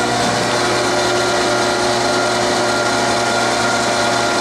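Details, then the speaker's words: 1982 Aronson HTS20GE 20,000 lb geared elevation headstock/tailstock welding positioner raising both ends: steady loud gear whine and even mechanical hum, no grinding or knocking; synchronized elevation drive healthy. "you hear that yeah they pick up they're both going up that's the way the circuitry works they always synchronize themselves at every every 90 degrees"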